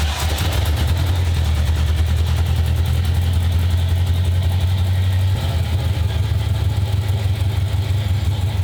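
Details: 1995 Ford Mustang GT, 302 V8 with a swapped carburetor, after the gas tank was reinstalled: a deep, uneven idle with a lumpy, stumbling beat, so it runs rough. They suspect the carb, which sat on a shelf, needs rebuilding and its float checked.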